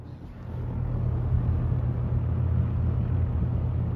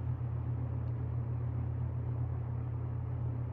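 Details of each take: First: Restored circa-1977 Superlectric 2083 fan running up to speed and holding: a deep, low-pitched hum with a faint buzz; the meter reads 2.8 amps, which is doubted. The owner suspects a dry motor whose oil needs to settle; not confirmed. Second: Restored circa-1977 Superlectric 2083 fan on low speed, meter reading 2.8 amps: a steady, smooth low hum with no rattle, tick or scrape. Normal running; any buzz-like sound is thought to be the dry motor, with oil still settling in.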